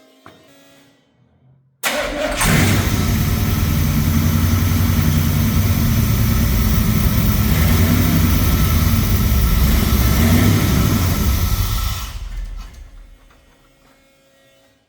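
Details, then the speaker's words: V8 in a C50 build just fitted with an Aces Kill Shot EFI system, untuned, after distributor timing was rechecked; short crank then steady even rumble for about ten seconds: normal start and run. "that works sounded pretty good"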